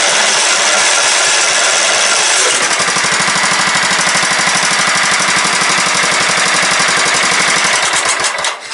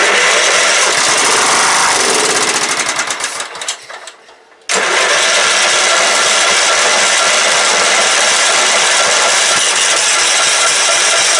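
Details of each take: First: Late-90s Craftsman LT 1000 mower with a 15.5hp Kohler Command OHV single-cylinder engine, running with the coil kill wire pulled: it chuffs unevenly at about three beats a second, then fades and dies. The cause is unclear. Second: Late-90s Craftsman LT 1000 mower with a 15.5hp Kohler Command OHV single-cylinder engine, first revival attempt: after fuel is poured into the empty tank it catches after a brief stumble and settles into a steady, even run.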